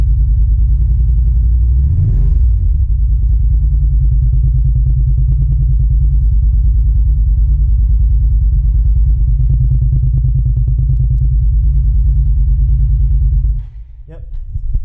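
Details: Suzuki SV650 V-twin after new spark plugs, fresh coolant, oil change and chain cleaning: deep, steady low rumble with even lope and no knocks or rattles at idle, then shut off; healthy.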